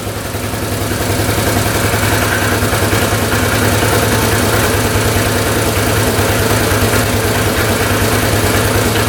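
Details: 1998 Yamaha Grizzly 600 single-cylinder ATV that wouldn't exceed 10 mph, first start after a new CDI and fresh fuel and oil: fires and settles into a steady, even beat, revving cleanly with no popping from the carb; might be fixed.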